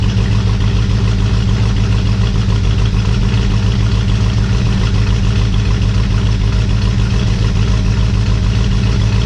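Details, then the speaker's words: 1967 Ford Mustang 289 V8 first start after rebuild (heads off for antifreeze leak), after correcting plug wire firing order; starts super easy, steady smooth low-rumble idle, no knocks or misses; smoke from spilled antifreeze expected. "whoa finally actually not finally it started super-easy they started so sweet"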